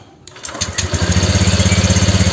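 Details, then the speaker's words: Honda Vario scooter after piston replacement and new exhaust: engine catches after a few cranking pulses and settles into an even, steady idle with no rattle on first start; normal healthy cold start. "suara motornya ini udah halus nggak ada suara derik pertama kali motor itu"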